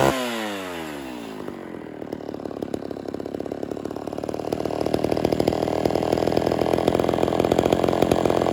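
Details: Homelite Super XL chainsaw after cylinder and carburetor rebuild, during low/high screw and idle tuning: revs drop quickly, then settles into crisp steady buzz slowly building speed without stumbling; normal running.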